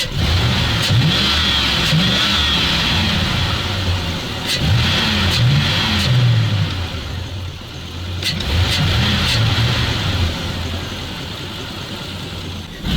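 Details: ZIL truck (ZIL-Takh), run after a blocked fuel filter is removed, which made it better, revs unevenly, catching and sagging in surges; intermittent hesitation when revving, owner suspects fuel delivery or the pump, not confirmed.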